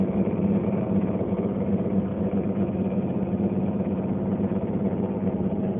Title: LG Dishwasher making noise